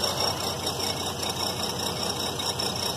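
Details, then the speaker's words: 2003 GMC Envoy 4.2 V6, warm after exhaust manifold replacement, uneven lumpy stumbling idle with shaking: cylinder misfire, found to be a bad coil pack; spark plugs also replaced. "he's definitely got quite the say to the engine"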